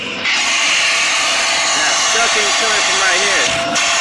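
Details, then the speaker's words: Shark vacuum switched on before cleaning: loud, hissing, high-pitched sucking rush of air over the motor drone; clogged airway blocking the inlet path. "so usually usually we're not selecting noises like that that means that it's clogged up"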